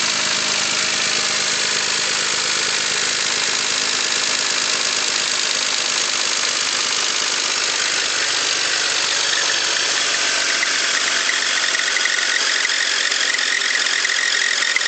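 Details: 2001 BMW X5 petrol engine at steady idle with fast, light ticking over a thin hissy running sound, ticking speeds up with throttle; owner unsure of cause (valves, lifters, bearings, rod knock, spark plugs suggested).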